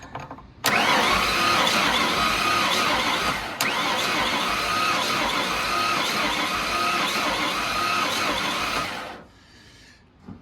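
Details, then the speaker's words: 1992 Ford F150 5.0 liter with a blown motor, cranked after pulling the black-fouled spark plugs from both sides: starter churns about eight seconds with an uneven beat, one cylinder seemingly low on compression; owner suspects pistons, possibly fried, valves next. "I thought it would go away unless it's doing it on both sides, or it could be something even to do with the pistons or something, I guess. If that's the case, it could actually be just completely fried."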